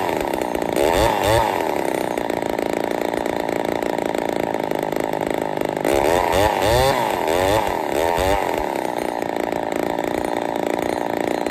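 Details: Ported Poulan 245A chainsaw with bow bar, first start, cold: loud, high, raspy scream with surging revs on throttle; running a little lean, starving a touch, needs carb tuning.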